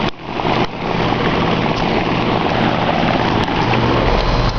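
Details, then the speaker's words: 2001 Ruud Achiever 10 heat pump, 2-ton 10 SEER R22 single-phase outdoor unit, in cooling mode: even, steady fan rush over a soft compressor hum, very quiet, no rattles or squeals; normal running. "yeah the compressor's running man this sucker's quiet and i do believe the air handler's under the house"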